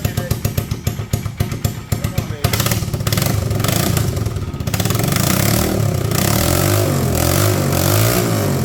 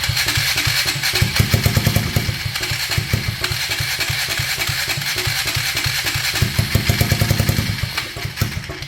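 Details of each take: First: 1999 Polaris Sportsman 335 first start after valve guide replacement and new gaskets, fuel switch changed between tanks; hard-working starter churns through uneven firings, then the single catches and settles into a steady thumping run that picks up with throttle. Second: 1999 Polaris Sportsman 335 on its first start attempt after a broken valve guide was replaced and it got new gaskets, fuel switch turned down, unsure which tank: steady starter chug with brief catching bursts but no run; cranks, no start.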